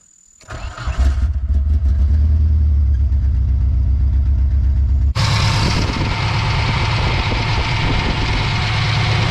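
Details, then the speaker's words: Nissan S13 240SX after wiring harness repair and new plugs and injectors, before timing check: engine cranks, catches and settles into a slightly uneven idle with a wavering low beat; rough idle, owner suspects fuel tank issue. "This up, we're going to verify our timing. Sounds like a fuel tank issue."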